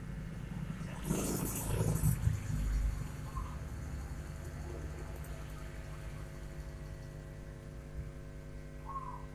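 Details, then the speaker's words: Power amplifier at full volume with the input unplugged: a steady low mains hum that vanishes when the chassis is touched, a poor ground. "Volume kita pol. Input cabut. Terdengar bunyi dengung ya."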